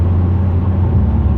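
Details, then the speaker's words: 2008 Pontiac Grand Prix GXP with newly installed Thrush welded muffler, foot on accelerator at light throttle; deep exhaust drone with a slight waver as Active Fuel Management (DOD) switches between four-cylinder and full operation, normal cylinder deactivation cycling. "it's gonna switch again here pretty active fuel management afm dod whatever you want to call it i call it dod i know they changed it to afm"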